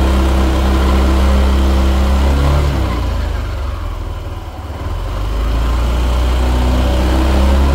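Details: Yamaha NMAX Neo S on Castrol Magnatec 10W-40 oil, cold engine after about 30 hours unused: even, steady low thrum with one brief dip and recovery mid-clip; normal cold idle during warm-up.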